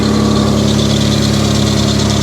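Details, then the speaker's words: Mitsubishi Diamante at 230K miles idling after tune-up with valve covers resealed: steady idle with a thin, high chirping accessory-drive squeal on top, source not yet identified. "but listen to her listen to how perfect she's running i do hear an accessory squeal going on down there"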